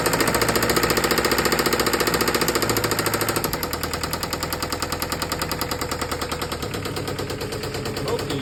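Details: Isuzu 4JB1 diesel engine idling with a loud, regular hammering knock at about three and a half beats a second, a heavy internal knock.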